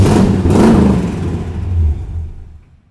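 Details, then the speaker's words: Restored Jeep CJ7 running after rewiring: a deep, throaty rev climbs cleanly and falls back smoothly, no knocks or misses; healthy engine. "that boy sound good bro she sound good she throaty dude like she's golly that thing good"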